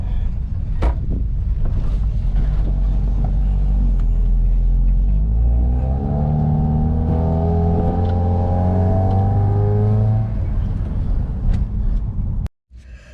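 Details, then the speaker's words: 2015 Nissan Caravan E26 after another shop's valve work, no acceleration on road test: engine drones and labours, revs rising slowly and sagging; loss of power traced to exhaust restriction (back pressure, clogged). "right so we just got back from the test run and you saw this vehicle was falling on his face man right it dries what like it's falling in the face"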